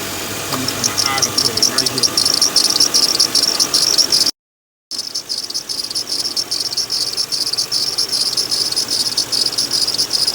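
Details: 2007 Lincoln Town Car at idle: high, thin cricket-like chirping about two or three a second; worn idler pulley bearing.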